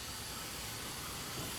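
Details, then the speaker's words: 2010 Honda Accord blowing warm air with no refrigerant, smoke put into the A/C system to locate the leak: steady, sharp hiss of escaping gas with no rhythm; a big refrigerant system leak. "he is locating this leak how fast he just put just put smoke in there so he's in the process of locating the actual leak on it see that I can hear it over here"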